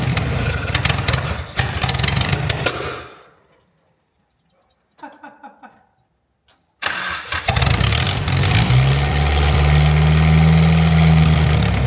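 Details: Mitsubishi Conquest turbo with 70k miles, just fitted with an aftermarket exhaust manifold. It cranks, dies, then catches and settles into a steady, even idle with a deep exhaust note and no knocking. Normal start.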